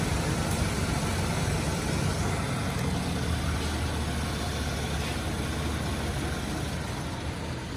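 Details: Low-mileage 1985 Pontiac Grand Prix V6, garaged survivor, during pre-purchase inspection: a bit of knock and slight exhaust leak noted on startup, then a low, steady, quiet idle with no ticking or knocking standing out; normal idle.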